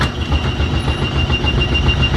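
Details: Brunswick A2 pinsetter turret indexing, checked after adjustments and tightening a bolt and nut. Steady low mechanical rumble with even, rapid clatter, no bangs or hesitation; turret indexes smoothly and sounds healthy.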